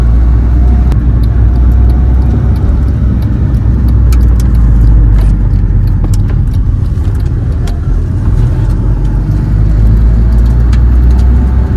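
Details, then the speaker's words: Honda Civic engine first start, small coolant leak at intake manifold fitting; even low rumble with steady firing beat and light clicks, no check engine light; normal engine running. "So, we are I'm calling it. I think that's a good decent first run. No check engine light."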